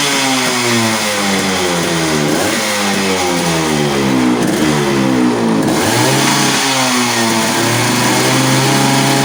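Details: Yamaha RX100 two-stroke after clutch bell upgrade and carburetor re-adjustment; crisp note blips up and settles back cleanly between revs, no hanging idle or stumble: normal revving.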